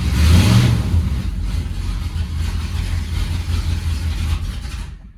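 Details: 1971 Ford F100 302 V8, 3-speed, cold start after winter storage since December, carb rebuilt, still needs tuning: rough idle with uneven puffing chuff low on the exhaust side; exhaust leak right after the headers.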